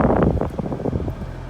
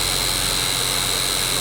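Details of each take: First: Toyota Prius cabin blower after repair, AC on, bolted back up: soft rushing airflow and low steady hum, no rattle or squeal. Previously the noisy blower needed a nudge to run and was replaced; normal quiet operation. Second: Toyota Prius Denso blower motor, sometimes not starting without a nudge, after cleaning and greasing: loud harsh rushing roar with steady high whine on high, quieter on medium; worn motor, needs replacement.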